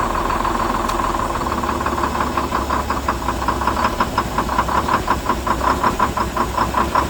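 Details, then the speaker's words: Detroit diesel GMC B7000 idling with a steady rattle, then a faint pop as it cuts out and dies shortly after start; emergency air shutdown cable suspected adjusted too tight, slowly shutting the engine off. "There was like a weird little pop. >> Huh? There was like a weird little pop right before it shut off."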